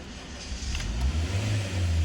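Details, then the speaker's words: Honda Brio engine starts, revs rise to about 3,000 then 2,000 rpm and it dies, repeatedly, check engine light not on; faulty MAP sensor causing the stall. "mesin mau hidup cuman setelah hidup rpm-nya naik turun naik turun terus mati"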